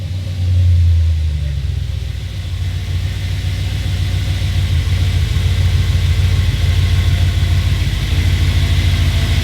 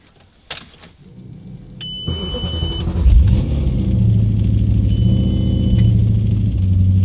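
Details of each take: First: Audi B7 RS4 V8, cold start after replacing a sensor for EPC/CEL codes: deep steady idle with an even whir from the secondary air pump working normally; a screeching noise when cold had just gone away, EPC light off, traction control light still on. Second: Audi B7 RS4 being diagnosed for EPC, CEL and traction control faults, cold start after sensor work: engine catches, thin high squeal over idle for a second, returns briefly, then fades; cold start screech, source unknown, no EPC light.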